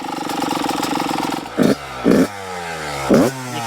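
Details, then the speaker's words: Yamaha YZ125 two-stroke idling with an uneven burbling beat and three throttle blips; running rich because the carburetor keeps pouring out fuel, a suspected float problem, despite jetting changes; revs out clean held open. "I want to hear this idle. Oh, it's still pouring out fuel. So, that's why it's running rich."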